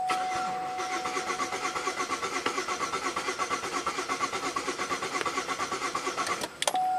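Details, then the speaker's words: 2008 Buick LaCrosse 3.8 V6, 68,000 miles, stalled and won't restart despite new ignition parts and ECM, no codes: uneven cranking with no firing; scope shows spark far from TDC, harmonic balancer suspected improperly installed (Woodruff key): incorrect ignition timing. "right off the bat we see that the spark is nowhere near TDC"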